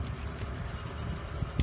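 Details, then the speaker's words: 1992 Mariner 40 HP Magnum oil-injected outboard after repairing the oil reservoir float magnet, previously beeping continuously for false low oil: low, steady two-stroke idle burble, no warning beep, steady tell-tale stream; running normally. "you can hear the motor running csp is a good steady stream so we'll call this one a success"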